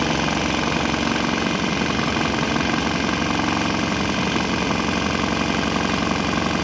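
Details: Swan X 165F Chinese single-cylinder diesel, mounted on a shipping crate and vibrating heavily, running on used canola fryer oil, throttle on start setting; steady regular thumping, beat unchanged, exhaust smell changed; runs fine on waste vegetable oil without stopping.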